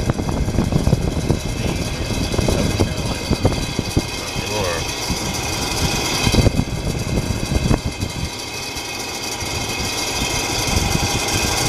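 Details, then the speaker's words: Dusty heater fan running with a loud, coarse rattling drone, vibration and scattered knocks; the fan is judged due for replacement, cause not identified. "are what a racket [Applause] oh I think it's time to put a new uh a new fan on this is annoying"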